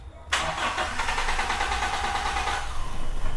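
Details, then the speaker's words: Toyota Kijang with an unclamped intake hose that came off, leaving the intake open. Cranks, catches about two seconds, then dies; a battery replacement didn't help and reattaching the hose lets it start: hard start and stalling from a vacuum leak. "Sekarang kita hidupkan, itu susah kalau selangnya itu, karena jalur intake-nya itu kan terbuka. Ini starter-starter nggak hidup-hidup."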